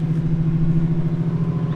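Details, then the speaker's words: Boosted BMW E36 turbo six with a Garrett turbo, first drive, not yet at operating temperature, putting around with no boost made: deep, even, low exhaust burble with no rasp or misfire and Garrett whine audible; normal exhaust note. "That exhaust tone though is so It's good. perfect. It's not too crazy. It's not like. No, it's just deep."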